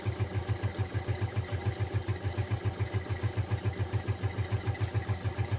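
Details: Small single-cylinder motorcycle kick-started after several kicks while testing a new Daytona Ignimax spark plug: low lumpy idle pulsing about 3.5 times a second and hunting unevenly, close to stalling; rough idle, cause not confirmed.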